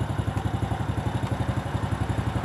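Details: Motorcycle idling just after the recharged, serviced battery let it start straight away on the starter (the battery water had been nearly gone and it wouldn't start before). Quick, even putter at about ten beats a second, smooth, no knocks or misses; healthy idle.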